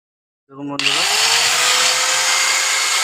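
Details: 801 angle grinder after its broken bearing was replaced: spins up to a smooth, steady high-pitched whir with no grinding or rattle, so it is running normally.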